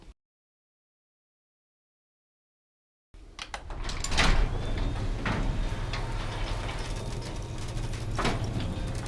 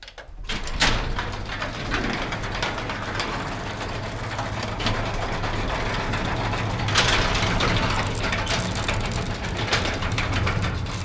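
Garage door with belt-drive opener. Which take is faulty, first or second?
second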